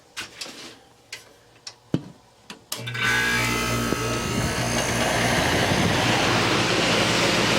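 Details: Early-1960s Philco Noiseless air conditioner under restoration, run with the cover off: a few clunks, then a steady hum with fan rush and no knocking; compressor running well and cooling. Normal running.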